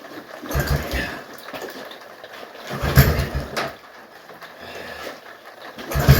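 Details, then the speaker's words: Old Yamaha Kodiak ATV that smokes heavily and has long run poorly, being pull-started: bursts of cranking that never catch. Owner suspects no fuel is getting through, though fuel reaches the carburetor bowl; not confirmed. "Okay, I don't think we're getting any fuel."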